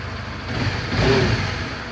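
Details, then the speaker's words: Honda CB150R second generation, about 6,500 km after roughly 3 months of use, started for a used-bike check: small single idles very smoothly, blips up and settles cleanly with no ticking or rattle; normal idle and rev. "Kita coba nyalain aja. Suaranya halus banget ya. Kita dengerin suara mesinnya."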